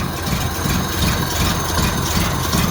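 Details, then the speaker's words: 1931 Ford Model A pickup four-cylinder petrol engine at low idle, uneven limping beat running on three cylinders; garage filled with gasoline fumes; suggested fixes: replace Autolite 3076 spark plugs, clean distributor contacts/points; one cylinder dead, misfire. "clearly the model a engine is running on three cylinders and it was obvious because of the smell of gasoline permeating the garage"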